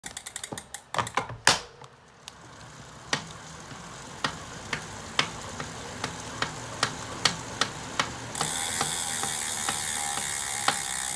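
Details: Elite Direto bike trainer making a knocking sound: sharp, dry knocks about once or twice a second, slightly uneven in timing.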